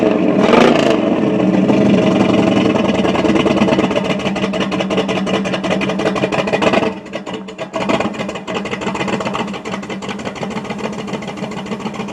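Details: Chevy 350 V8 with a suspected misfire: revs, then settles to an uneven idle with a loping, irregular chuff about three per second.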